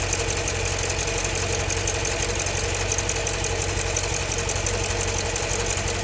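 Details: 2015 Jeep Grand Cherokee SRT 6.4 Hemi V8 at idle: a steady idle with a quick, light, even tick about three per second from the top end; lifter tick suspected, not confirmed.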